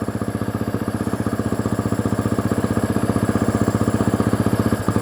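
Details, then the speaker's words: Husqvarna 350 dirt bike with an electrical problem, seat and tank off, at idle: an even thump about four beats a second stumbles briefly when wiring is wiggled; a loose connection is suspected, not confirmed. "You hear it stumble just a second."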